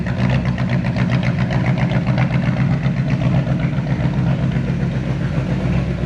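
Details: 1970 Chevy C10 pickup with a 327 small-block V8 and HEI distributor, starting hard with bad ignition timing; it gives a lumpy, uneven rumble that stumbles and wanders, running rough, stinky and noisy.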